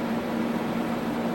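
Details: Tektronix 574 oscilloscope cooling fan after oiling its bearings with a few drips and reassembling it: a steady, even hum with a soft airy rush and no ticking or scraping. The fan now runs smoothly and quietly.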